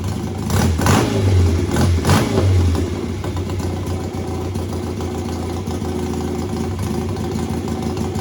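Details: Home-built BSA twin chopper at standstill, throttle slides lifted individually and together to trace a misfire. Three quick blips climb and drop cleanly, then an even idle with no stumbling: both cylinders kept up, and the test revealed nothing.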